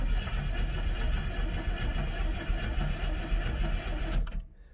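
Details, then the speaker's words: 1988 Chevy S10 Blazer Sport 2WD junkyard truck after a battery cable clean-up. Sluggish, uneven starter churn at about three to four beats a second, no firing. Slow crank; internal engine resistance suspected, not confirmed. "oh she cranks slow wonder if there's some resistance in that engine or something crank no fire"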